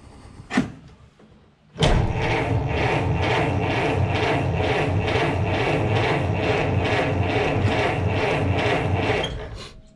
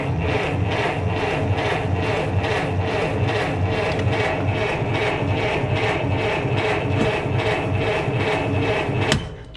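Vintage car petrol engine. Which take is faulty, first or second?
second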